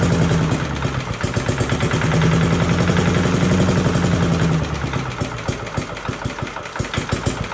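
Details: 1982 Billy Goat vacuum small engine after an ignition swap: a quick, even firing beat of about four per second, then a crisper run. A very solid, healthy running engine.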